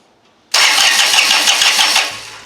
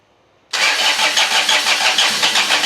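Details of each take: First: John Deere 455 diesel lawn tractor after a bad brake switch was found and plugged back in: starter spins the engine in a steady whirr with no clicking, cranking normally; the starter solenoid is still energizing weakly. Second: John Deere 455 diesel mower with a repaired fuel shut-off solenoid; steady rhythmic cranking about three turns a second that never fires, glow plug light off; glow plugs suspected bad since it started before on a jump: cranks but no start.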